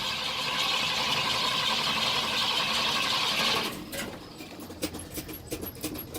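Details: Cold 1972 Ford truck cranking long, slow and even for almost four seconds without catching, then stopping; hard starting.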